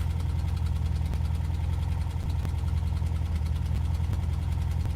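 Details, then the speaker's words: Van engine. An uneven idle with a loose, irregular knock over a deep, lumpy rumble: rough running with knocking. Oil is low on the dipstick after an oil-leak check and there are exhaust leaks; cause not confirmed. "Right. It sounds really bad."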